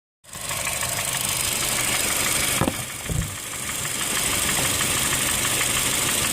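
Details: 2008 Honda Fit Sport manual: petrol engine idles steadily with a faint, fairly quick ticking knock, about three beats a second.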